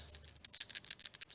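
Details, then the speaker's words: Quick light metallic rattles as an old fuel cap is shaken: a loose breather flap inside. It can cover the small breather hole and cause fuel starvation, so the engine runs out of fuel. "can hear that rattling hopefully you can hear that rattling if you can hear that rattling most of the time that's what your issue is for you're running out of fuel because you've got your breather time little breather hole here"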